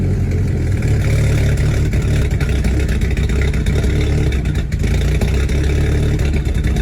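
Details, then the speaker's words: Direct-injection VW GTI cold start, before walnut blasting the carbon-fouled intake valves: lumpy, uneven idle with stumbling beats, as if only two or three cylinders fire. After cleaning, the first start was still a little rough. "does your VW GTI cold start like it only knows how to run on two or three cylinders"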